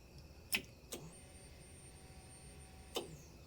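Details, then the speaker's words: 1975 Ford F150 with budget-built 390 FE, first start attempt after 30 years, at key-on: a click, then a faint high electric hum for about two seconds as the fuel pump primes. No fuel pressure yet, possibly too little fuel in the system. "Okay, I heard the pump kick on."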